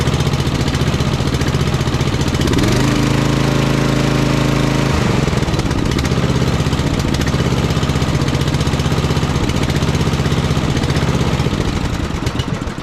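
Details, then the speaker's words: Simplicity Cavalier 3110 riding mower, 11-12 hp Briggs & Stratton single, first start after no-start, choke and throttle cable not fully adjusted yet: steady, even thump about four beats a second, no knocks or misses; runs fine. "doesn't seem to run too bad though"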